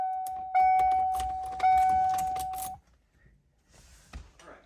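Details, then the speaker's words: 1994 Ford Mustang worn, loose ignition lock cylinder: steady mid-pitched key-in-ignition warning tone sounds twice amid key jangling even though the key is removed; cylinder to be replaced. "And you can hear it beeping right now, and we don't want that because the key's not in there."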